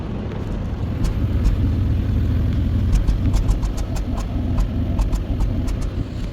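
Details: 2012 Hyundai Azera 3.0 V6 with P0300 random/multiple cylinder misfire and intermittently flashing check-engine light, before repair: uneven, lumpy idle with irregular stumble as a cylinder drops out.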